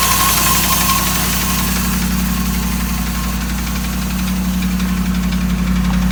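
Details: 2008 Dodge Ram 1500 5.7 Hemi at idle: regular light knock about four a second over the low rumble; knock of unknown origin, five mechanics couldn't identify it, told it needs a new engine.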